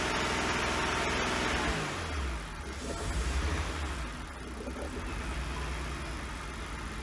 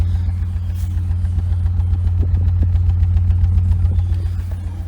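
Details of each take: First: 1999 BMW 328i after new fuel pump, battery and air intake hose: revs under throttle then sags into uneven stumbling idle that wants to die, needs gas to keep running; owner suspects a missing cylinder or bad fuel. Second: 1999 BMW 328i with Borla exhaust, after fuel pump, battery and intake hose replacement, recorded outside; deep steady throaty idle at about 900 rpm, even beat, no taps or knocks, normal idle.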